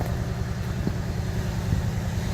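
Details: Refurbished truck engine after sorting ground and battery issues: deep even idle rumble with a steady low beat and no knocks or misses; normal idle, though a coolant leak and smoke were seen.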